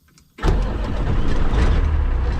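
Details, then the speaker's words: K100E Aerodyne after starter replacement: quiet, then engine catches instantly, settles into steady even deep rumble with no misses; healthy start. "It is alive. It is alive. Just like that."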